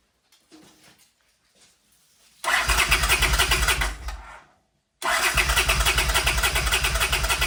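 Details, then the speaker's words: 1979 Honda CX500 motorcycle, fuel to carbs: two bursts of fast even starter churning, about three beats a second, no catch; cranks but no start. "doesn't look like the choke mechanism is fully working now if I hold it closed manually still nothing"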